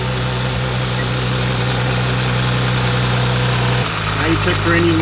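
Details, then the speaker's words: BMW G30 with B58 six-cylinder after camshaft follower (fuel pump tappet) replacement, restarted after fuel pressure loss: steady, even idle hum settling slightly lower, no ticking or misfire; normal idle. "the first time you start the car it's going to hesitate because there's no more fuel pressure so give it a few times try to restart it and then once it starts it'll go back to normal"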